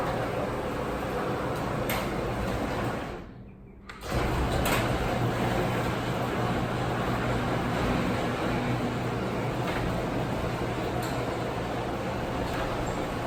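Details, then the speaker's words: Garage door after silicone lubrication, formerly creaking and squeaking: smooth even opener drone as the door travels, no creaks, groans or squeaks; runs quietly after lubing. "you should notice that it gets quieter with each raise and lower now you'll hear that my garage door doesn't have the creeps and groans anymore"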